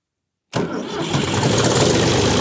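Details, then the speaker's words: Vintage Ford 3000 tractor after wiring a universal ignition switch, fuel on, PTO off, transmission in neutral: engine catches straight away and settles into a steady, even idle; normal clean start. "Yeah, let's fire it up. See how it starts and how it's working. Fuel is on. PTO is off. Transmission is neutral. Let's crank it."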